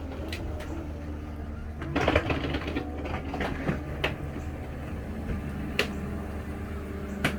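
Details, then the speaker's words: 2004 Country Coach motorhome HWH slide after repair and track roller adjustment, final check extending fully: steady low hydraulic pump hum with only light occasional clicks, quiet and smooth; normal slide-out operation. "again oh man nice quiet and smooth I like it I like it"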